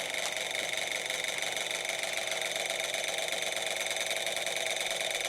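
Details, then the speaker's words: Old Kwik Kool oscillating fan bought at a yard sale, oiled with 30-weight non-detergent oil. Constant loud whirring hiss with steady buzzing tones and no rhythm change; the motor runs but is unusually noisy. "wow you probably can't see much because that shaft isn't really visible but yeah it's noisy as a too which i didn't want"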